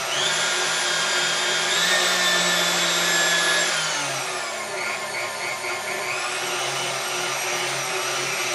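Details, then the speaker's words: KitchenAid stand mixer after repair, speed adjusted via the governor: high steady motor whine that dips briefly when slowed, then settles and holds pitch; stable, correct running speed. "And you can hear that the speed is staying, so even if I slow it down, we're sticking at that speed."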